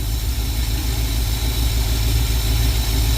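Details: Carbureted '52 vehicle after replacing the leaking accelerator pump diaphragm, idle turned up slightly: steady, even low rumble with no misses, stumbles or knocks; leak fixed, normal idle.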